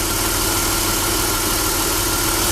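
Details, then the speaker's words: Chrysler Sebring idling after correcting a 3-tooth valve timing jump and refitting the timing covers; steady, even idle with absolutely no ticking or tapping, smooth as silk: normal idle. "now you hear it now there's absolutely no tick smooth is silk"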